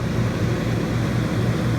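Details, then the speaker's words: Newly installed Dometic Brisk II 15000 BTU rooftop AC on a fifth wheel, replacing a 7–8-year-old unit that stopped cooling; test run in 100-degree weather: even steady hum, airy rush and low drone, no rattles or squeals, blowing cold, healthy. "Alright, it's blowing. Sounds good. Feels nice and cold."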